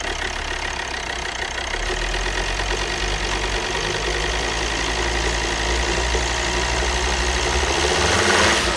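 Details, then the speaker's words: Volvo XC60 D5 diesel (possibly Euro 4) idling on start-up after injector replacement. A sharp chuffing tick in time with the engine comes from exhaust gas escaping past one injector, which needs torquing down further. "okay so on this injector there was a little bit of uh exhaust gases coming through here so this needs talking down a little bit further"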